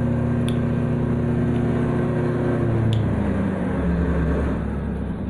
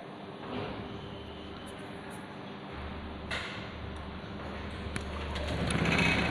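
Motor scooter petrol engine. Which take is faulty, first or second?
first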